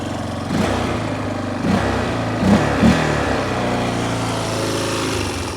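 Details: 1993 Yamaha Big Bear 350 4x4 single-cylinder, after starting, settles into a steady even idle thump with no misses or knocks; it smokes a little when cold, none once warm.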